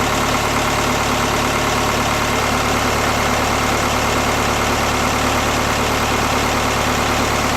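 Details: BKD diesel idling cold with a hard, uneven clatter and irregular beat, not settling to an even idle; rough cold idle.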